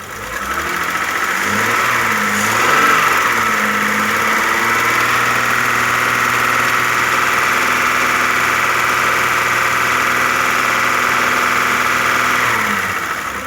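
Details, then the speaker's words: Audi A6 after the lifter knock cleared: after a brief rev it settles to a steady, even idle with only a light regular injector tick and no knocking. Old oil was like fuel oil and is to be changed. "А это вообще ни о чем. Масло поменяет, пойдет."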